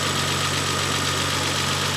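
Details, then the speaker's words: Renault 25 V6 Turbo, cold, after repairing the burning ECU's idle control valve circuit: steady low idle with faint hunting as the valve trims speed, no stumbling; previously it died on throttle when cold, idle control now working. "it is now catching is it actually working I think it is this is definitely a controlled idle I can hear it change"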